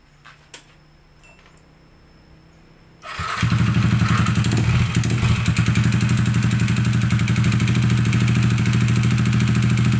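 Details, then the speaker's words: Yamaha NMAX engine, about 30,000 km, previously wrecked by water hammer from flooding, before teardown and big-bore 63 mm rebuild; head leaking, very smoky: loud, lumpy idle around four beats a second with coarse clatter; rough running. "udah ngomongnya kasar banget ya berasap banget"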